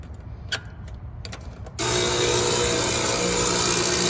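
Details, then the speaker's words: Heat pump reversing valve making a sudden loud steady buzz like a running compressor, even with the 240 V disconnect off; noise stops when it is taken off. "I've never seen a reversing valve doing this. Like a loud noise like that. Sounds like a compressor."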